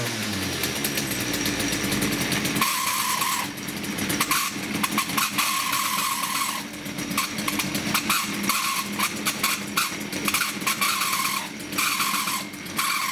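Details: STIHL FS56 two-stroke trimmer at idle: a loud, steady high-pitched screech over the raspy idle comes and goes, apparently from the clutch area, and the trimmer head turns at idle when it should not.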